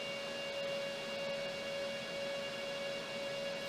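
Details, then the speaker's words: KS5L Kaspa ASIC miner with fans at 65%, measured around 89 dB; loud steady fan roar with a fixed high whistle on top and no knocks or wobble: normal fan operation. "So around 89 decibels is where this is sitting with the fans at 65%."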